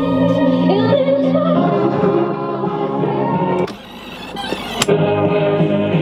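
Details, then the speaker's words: 1981 Pioneer SK200 boombox tape deck after belt replacement: clean, steady music playback, even tone, no wow, flutter or dropouts, good channel balance, though it distorts easily; normal cassette playback. "that sounds right now distorts easily but it actually plays quite well pretty good balance between the channels"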